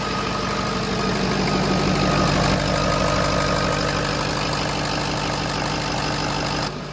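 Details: White dually diesel truck after an injector transplant, bled and first started on stock tuning: steady, even idle with a smooth low drone and no knocks or surges; slight haze, engine running well.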